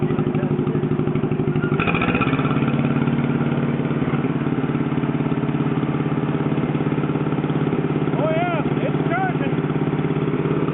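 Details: John Deere 420 Crawler two-cylinder tractor running after restart, battery showing 7 volts; uneven, slow putt at about two and a half beats a second; muffler may be rotted out; engine runs normally.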